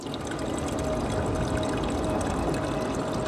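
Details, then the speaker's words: 96V electric motorcycle with liquid-cooled Far Driver controller, refilled coolant loop with bigger tubes: steady trickling and gurgling over a low pump hum, liquid drawn in and flowing fast and evenly; normal coolant flow. "let's turn it back on cuz you can hear it's sucking up the liquid now oh wait it's flowing through already that was fast"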